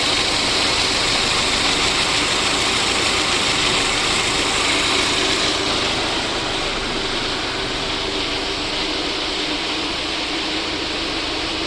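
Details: VAZ 2109 engine after a full overhaul: steady, even idle with a smooth, unchanging hum and no knocks or misses; normal idle.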